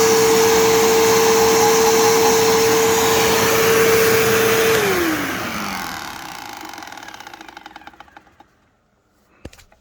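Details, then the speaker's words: New-old-stock 2007 Bissell PowerForce 3525-2 upright vacuum, boxed 17 years, first run: steady motor whine, then a regular scraping tick about four per second as it spins down; owner suspects the brush roll warped in storage. "It's got to be the brush roller has got to have warped a little bit in the time that it... in the 17 years that it sat in storage or wherever it sat."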